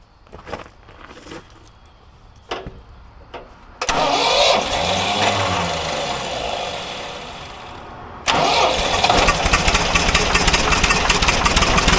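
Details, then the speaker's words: Old Ford loader backhoe that sat for a while, fed ether through distributor breather port, needs choke: few weak firings then rough uneven run only on ether; good spark, carburetor to be rebuilt; fuel starvation. "so at least we know what uh ignition wise it's got a good spark and it's firing but it can't run without ether or carb cleaner"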